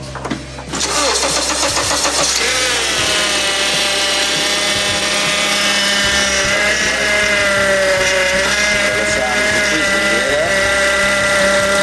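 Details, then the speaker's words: Honda Accord with a newly fitted replacement power steering pump, low fluid: loud, wavering high whine that shifts pitch with steering load; pump starving for fluid, more fluid being added. "So it's like it's just starving for fluid. So we gonna give it some fluid."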